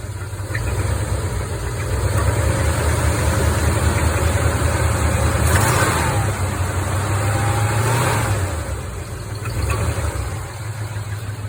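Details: 1975 Chevy C20 at rough low idle: dull deep knock about twice per second that swells as revs rise slightly; owner suspects a spun bearing, cause unconfirmed.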